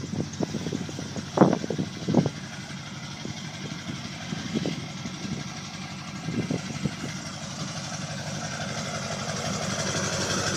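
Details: 2002 LB7 Duramax diesel idling after a winter no-start (started unplugged, died after a minute), fixed by changing the fuel filter and re-priming; a few louder knocks early, then settled, even clatter.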